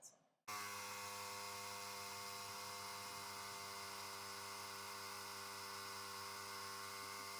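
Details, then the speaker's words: Small compressor winterizing a Panoramic RV, pushing water out of the plumbing; pressure reads higher at first, then drops as the system drains: an abrupt start into a steady, even high whirring drone; normal running. "vous allez observer au début c'est que la pression sur le compresseur va être un petit peu plus élevé parce que le compresseur pousse l'eau à l'extérieur"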